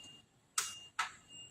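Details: Fuso truck with 6D40 engine that won't start, wiring being troubleshot: three sharp single clicks about half a second apart with no cranking; the starter is said to be new but only clicks, a faulty starter motor.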